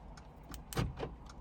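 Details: 2015 Mercedes CLA 250 after sitting 4 months, battery replaced: quick cluster of solid, even clunks as door locks actuate; central locking now works normally though the car still won't start.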